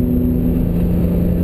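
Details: BMW E46 M3, about 95,000 miles, original front left wheel bearing failing: steady low drone and hum under road noise, starting around 40 mph and louder at highway speed (75 mph); noise changes with steering.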